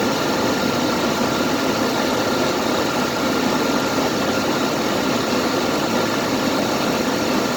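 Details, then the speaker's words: CJ just started, engine not warmed up: rough even hiss at idle with a faint thin whine; voltage jumps between 7 and 13 instead of 14.6 volts, dipping with the noise; failing alternator. "It should be reading 14.6 volts, and look at how it jumps around. And I also hear this funny noise in it. When I hear the noise is when the numbers dip down."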